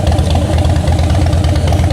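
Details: Salvage-auction wrecked 2013 Harley-Davidson Heritage Softail, idling while seats are fitted; deep, even loping thump, steady beat, no tapping or misses. Exhaust sounds real good, normal idle.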